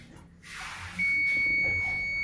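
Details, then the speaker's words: Two-door refrigerator short repair: steady piercing beep from a continuity tester reading an apparent short to body, but only through the still-connected defrost timer. "Nah, ini ada ini ya. seperti short."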